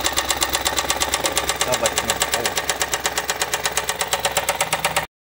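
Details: Ford Escape EcoBoost: loud, sharp metallic knocking about ten hits a second, steady at idle over the engine; cylinder 4 rod knock, lower-end rod bearing completely gone.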